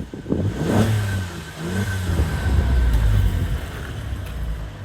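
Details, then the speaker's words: Alfa Romeo Brera 3.2 V6 Q4 4x4, low mileage, full service history, just started with steam from condensation: crisp throttle blips rising and falling cleanly with a deep, even exhaust note and no knocks or rattles; a healthy V6. "how nice does that sound really does sound well"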